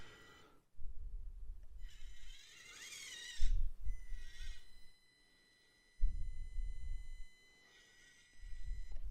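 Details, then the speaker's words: SCX24 RC crawler running on the stock ESC with a brushed motor at slow crawl: a steady high-pitched whine over the small motor, not heard with the Furitek ESC. "hear that whining we didn't hear that before with the fury attack"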